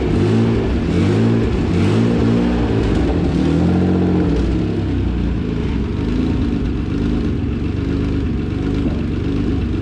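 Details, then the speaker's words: Acura NSX on dyno with new Pulsar GTX3584RS turbo (T4 housing) revving hard under load; raspy, chattering edge over exhaust note as the V-band clamp between turbo and downpipe pops, causing an exhaust leak. "i think we might have sprung an exhaust leak that b-band broke yeah yeah kill it"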